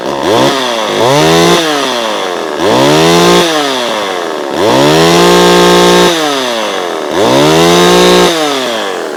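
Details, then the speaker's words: Vintage chainsaw with a thumb-pump oiler, started ice cold: repeated rev-ups and drops, pitch rising and falling cleanly about every two seconds, crisp and even; a healthy two-stroke saw. "so yeah let's fire it up and you can you can hear the difference between these saws and newer saws"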